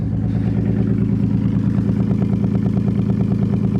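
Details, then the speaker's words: Wrecked 1990 Nissan 300ZX running on a rigged fuel system after its sending unit failed, with no mufflers fitted. A loud, raw idle with steady firing and no misses, plus a light rattle about three times a second and a slight tick. A fuel leak forced shutdown. "it sounds pretty consistent doesn't really sound like it's missing it's rattling a little bit but uh we got a fuel weak so I'm going to shut her off"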